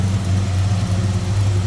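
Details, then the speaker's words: 1972 Buick Skylark GS convertible, GS 350 V8 with HEI ignition, heard at open engine bay: deep, steady V8 burble with even lope, no ticks or knocks; sounds good, healthy smooth idle. "Sounds good, looks good underneath there."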